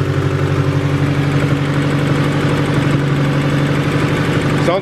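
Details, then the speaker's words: $500 Honda Del Sol, interference engine, first start after reassembly, hasn't run in a while: steady, even idle, smooth low hum, no knocks or ticks; normal idle. "fired right up no knocks or nothing running smooth hell yeah"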